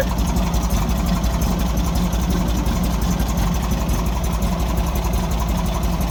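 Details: 1964 Volkswagen Beetle air-cooled engine idling: uneven, lumpy beat with irregular pulses; rough idle, owner suspects the left-hand carburetor side is not getting fuel, possibly a blockage.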